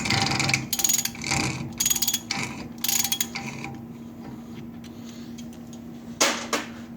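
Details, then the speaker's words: 1999-2004 Ford F-250 Super Duty 4x4 rear wheel bearing and seal job: locking hub nut turned with a four-prong special socket gives quick bursts of sharp metallic ratcheting clicks when backed out or tightened, which is normal. "the locking it has kind of makes like a clicking ratcheting sound when you back it out or tighten it so I'll kind of show you what that sounds like so that's normal"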